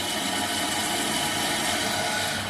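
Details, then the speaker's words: Toilet that kept running, just fitted with a new Fluidmaster 400CRP14 fill valve and flapper, water turned back on. Steady hissing rush into the tank, even throughout with no chatter or squeal: normal fill valve refilling after repair. "and now you're going to see the water flowing from the refill tube if all goes well you're going to start seeing the water filling up along here"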